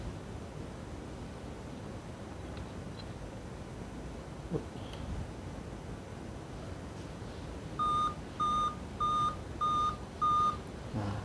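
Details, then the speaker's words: Dell laptop at power-on: silence, then five evenly spaced high beeps about a second apart. The Dell five-beep code is taken to mean a dead CMOS battery, with replacing it as the fix. The cause is suspected, not confirmed. "Well, usually on a Dell laptop, if it beeps like this, it means there is a problem with the chimos battery. The chimos battery has dropped."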